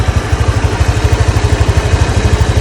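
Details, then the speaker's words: Honda Click 125i, about 4 years old, after replacing its 2-year-old drive belt; idles with a steady, even low putter, and the drive-side noise of the old belt is gone, no rattle or scraping: normal idle. "Ayun guys, so hindi na maingay yung ano niya, panggilid. Gumaandar. Hindi kaya nung luma niya, diba guys, sa inyo. Parang may makayas. So may tahimik na siya."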